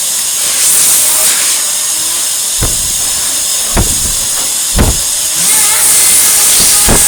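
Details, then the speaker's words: 1949 Electrix paint sprayer blower after restoration: constant high airy hiss over the whir with dull thumps, blowing raspberries; air escapes past the rubber seal, tape fix did not work. "You can also hear it blowing raspberries, and I tried to amend that with this tape, but it hasn't worked. It's blowing past this seal."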